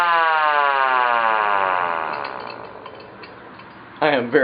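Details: Sireno M1 siren first power test after repairing its non-working motor: smooth wail falling steadily in pitch as the rotor coasts down, then briefly winding up again; motor spins freely, repair successful.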